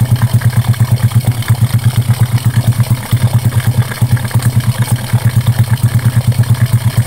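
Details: Honda Karisma single after repair for white exhaust smoke and rough piston noise (piston replacement, valve setting): steady, unhurried thump at about three beats a second with no knocks or ticking; a clean, healthy idle.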